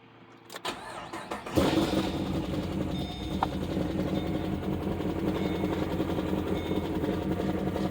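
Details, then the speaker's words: 2012 Chevy Caprice PPV 6.0 LS, a month after DOD delete and stage 2 cam with new lifters and rocker arms: cranks, catches and settles into rough idle with faint quick ticking underneath; valvetrain ticking. "this is my 2012 Chevy Caprice ppv and uh very unfortunate thing happened uh it's knocking or clicking or ticking wherever"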